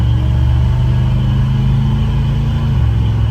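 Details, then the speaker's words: 1972 Chevy C20 pickup, 350 V8 crate engine, Edelbrock 650 cfm carb, HEI distributor, after new R44T spark plugs gapped to 0.050: pulls smoothly past 4,000 rpm with steady exhaust drone, no breakup or misfire. "And it's not breaking up, not doing anything crazy up in these higher RPMs."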